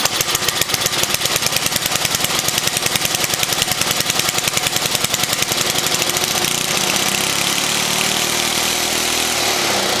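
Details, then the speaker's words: 1979 Toro 524 snow thrower small engine, first start on choke: rapid harsh firing climbs to a loud, frantic high-speed roar that never settles; throttle stuck open, debris possibly seen flying. Throttle stuck open. "nope, nope, nope, nope, nope, nope, nope. That is not a happy motor."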